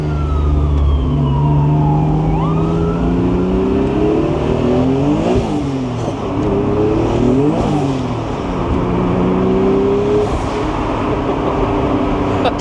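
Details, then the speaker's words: 1993 Acura NSX, 3.5L stroker twin-turbo, first test drive after restoration: engine pulls hard through several gears, pitch climbing each pull, turbo whistle rising over the exhaust; healthy spool under boost. "Turbo sounds, BABY."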